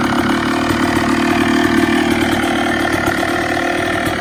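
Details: Yamaha YZ250 two-stroke enduro build, kicked over to test newly wired radiator fans: crisp, busy idle, even and steady with no knock or missed beats; engine running cleanly, normal idle.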